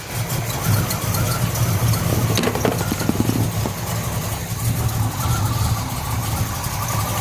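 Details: 1970 Pontiac LeMans, rebuilt 455 bored to 461, 6X heads, Quadrajet carb, just after fitting a new MSD 6AL-2 ignition box: brief crank, then steady, low, even V8 idle, smooth and healthy; normal idle.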